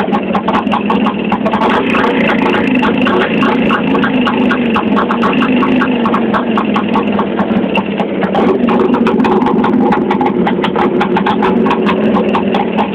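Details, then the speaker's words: Engine idling, ignition timing varied between runs: steady idle with a fast, light metallic ticking or rustle low in the engine that quickens with revs and fades at higher rpm; starts fairly well when cold; source of knock still unknown. "и короче как-то так что за зону моторе внизу вам какой-то такой шелест обороты больше шелест чаще"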